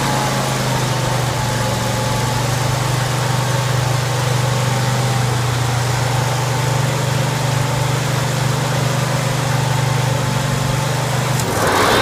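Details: John Deere 190C (100 series) mower engine after PTO clutch replacement and new battery: small engine holds a steady, even low drone for about eleven seconds without stumbling, then cuts off; normal running.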